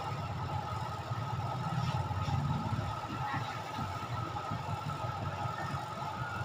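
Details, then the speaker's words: Washing machine after the spin motor, spin capacitor and spin timer were replaced. In the final test the spin motor gives a quiet, steady, even whir with no rattle or scraping. Normal spin. "Final testing. So, tahimik na siya. Hindi maingay."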